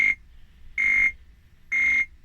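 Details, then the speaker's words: Atari 520STFM at power-on: a steady high beep about a third of a second long repeats roughly once a second while the keyboard light flashes. It still beeps with another keyboard, so the keyboard is not at fault; a mainboard fault is suspected but unconfirmed. "Okay, so turning the machine on, you can hear that rhythmic beep, and you can also, if you have a look, you can see that keyboard light just flashing away, and that's it."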